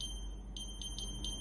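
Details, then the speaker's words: Philips AC1215 air purifier, display showing 88 and flashing, buttons unresponsive: shrill beeps about four a second over low hum; cover sensor alarm because the sensing magnet is missing. "Đó là một âm thanh lớn. Nếu hiện tượng này xảy ra, có nghĩa là nam châm đã biến mất."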